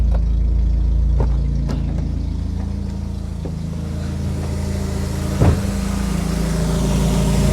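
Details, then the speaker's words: Nissan B14 with rough idle and misfire, injector 2 not firing, after ECU replacement: low steady idle with even beat, no stumble or missing cylinder; idle much better. "Okay, so we replace the ECU. You can already hear how the idle is sounding much better, right?"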